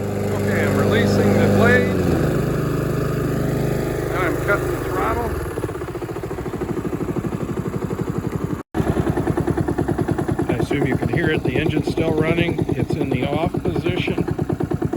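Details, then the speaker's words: Honda HRX217 mower with GCV190 engine, blades disengaged: engine keeps chugging at steady idle after being switched off, then cuts out abruptly; intermittent defective kill switch plunger, needs replacement. "this is a Honda hrx 217 with the GCV 190 engine it won't shut off"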